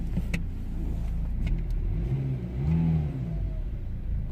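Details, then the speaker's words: 2008 BMW X3, believed 2.0 litre diesel, revved after refitting a pipe that came off because its clip was fitted backwards. Clean rev rising and settling, no whistle or hiss from the intake; sounds way better, normal. "Yeah, definitely sounding way better, completely different."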